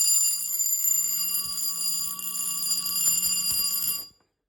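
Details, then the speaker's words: Electric fire alarm bell tested in sub-zero cold: bright, fast ringing for about four seconds, then cuts off abruptly without the proper ring-down fall; striker action sounds abnormal. "that was not really like it should it sounds weird sounds like when it stops wearing it doesn't make that fall"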